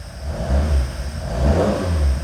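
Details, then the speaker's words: Freshly built high-compression 1700cc Ford Crossflow in a Mk1 Escort with Jenvey throttle bodies and Emerald K6 ECU, first start, freezing cold at about 30° ambient: picks up cleanly on quick blips, deep even note, no misses; healthy cold revving. "Fires up, guys. No That is freezing cold. Haven't fired that up yet."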